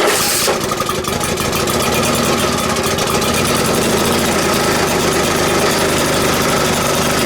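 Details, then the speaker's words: Vintage Atco reel mower small petrol engine, first start after fuel turned on, running steady: sharp, raspy puffing on every firing pulse; a bit of an exhaust leak. "It's got a bit of an exhaust leak."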